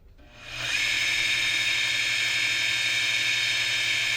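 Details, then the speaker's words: Secondhand 60 Hz ice skate sharpener, motor probably built around 1986: a steady, hissy, raspy whir settles in about a second after switch-on with no knocking; owner suspects worn motor bearings. "I got it secondary doesn't sound like the greatest the uh motor on it here let me give it a go sounds a little bit raspy I don't know if it's the motor bearings"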